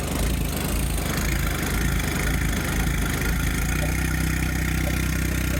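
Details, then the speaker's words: John Deere 1025R turbo diesel tractor, cold start at 40°F in Arkansas; uneven rolling lope around 100 beats a minute, steadying toward end; owner says it goes away when warm, suspects raised throttle caused the lope. "Cold start in Arkansas. 40 degrees. That sounds awesome. It won't do that whenever it warms up."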